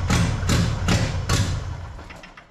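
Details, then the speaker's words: 1977 Ford Pinto wagon with a 1993 Mustang 2.3 L EFI swap on its first run: heavy, uneven thuds, then it dies. It was running on two cylinders. "wow it's struggling it's struggling it needs it needs help but it runs I'll figure out what's going on is it timing probably or something don't know"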